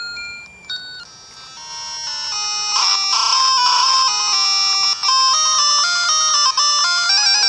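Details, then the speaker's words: Nintendo Game Boy Color, with a speaker fault previously repaired, playing Gargoyle's Quest start music: some instrument parts drop out with faint clicks, as if one audio channel is not right. "It's like some of the instruments are stopping. You can hear it. Yeah, it's not quite right."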